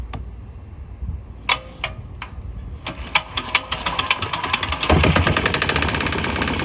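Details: Swan X 165F Chinese single-cylinder diesel, governor throttle on start, compression release used, crate-mounted and vibrating: cranking clanks then catches into quick even chug on used canola fryer oil; slight tempo and exhaust change, possibly while transitioning; normal running.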